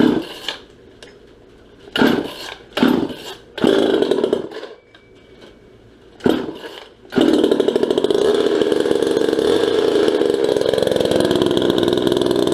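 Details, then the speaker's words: Restored, ported and repainted 1977 Poulan Micro Super XXV chainsaw. A few sputtering pulls, then it catches and holds a steady, raspy two-stroke buzz. Normal running. "show you what this thing sounds like sounds a lot meaner than it really is"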